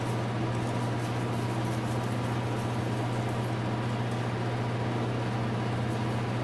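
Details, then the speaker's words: 2000 Cobra 50cc two-stroke racing mini dirt bike, flywheel spun with a drill: steady spinning hum with no firing pulses, engine turns but never catches; owner suspects the very dirty air filter, fuel down carb next. "all right yeah it didn't start up but I'm guessing that this air filter is not the greatest it looks pretty bad"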